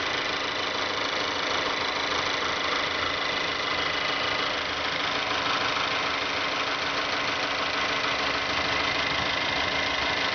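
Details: 2012 Mazda3 GS Skyactiv 2.0L gasoline direct-injection engine at 16,000 km, idling: fast, light ticking at about three per second over the engine hum; the dealer says it is normal, the owner doubts it, and the cause is unknown.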